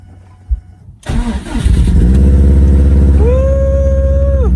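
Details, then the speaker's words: First startup after an engine swap, cold with snow in the engine bay, oil clean with no metal shavings, 5,682 miles, intercooler pipe still unfinished; cranks and catches quickly, then smooth even idle with fan whir, no ticking or knocking, normal start and idle. "This thing sounds tits. Oh yeah, we're back up the road at cirq. Still got some small stuff to finish up on the car, like this intercooler pipe over there, but just wanted to start it up, let it warm up, burn off all the snow that's in here."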